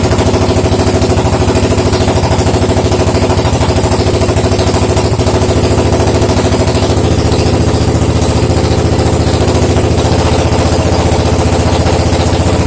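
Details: Suzuki DR750 first start after 10 years not running: loud steady single-cylinder thump at slow even idle, no misses or knocks; engine running healthy.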